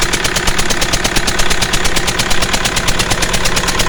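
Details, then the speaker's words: 2009 Mercedes C220 CDI diesel, No2 injector popped out after its stretch bolt broke, with black death carbon around it. Sharp, rapid puffing chuff at every firing over the idle clatter as compression blows past the loose injector seat. "as you can hear it sounds like a puffing billy"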